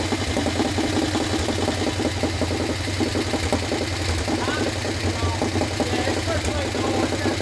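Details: Harley Sportster 1200 that sat outside full of water and algae, first start after being swapped into a chopper without a rebuild: light rapid ticking over a lumpy V-twin idle, keeping pace with the engine; owners suspect the usual Sportster top-end tick and expect it to clean up.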